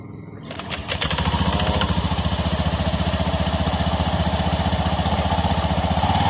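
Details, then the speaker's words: Honda Beat FI scooter after opening the noisy CVT, cleaning the pulley and fly balls and reassembling: starts and settles into a steady even idle with no rattle or knock from the transmission side; noise gone. "ng sige sa pa Pre wala ng ingay Okay na siya n"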